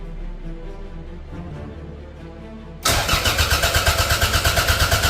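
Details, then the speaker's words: Toyota MR2 engine freshly installed in a budget track car, no coolant in yet and an earth missing. Fast, even cranking beats that never catch. Cranks but won't fire; smells of fuel, and no spark is suspected but unconfirmed. "So as you can hear it is turning over but obviously it's not firing."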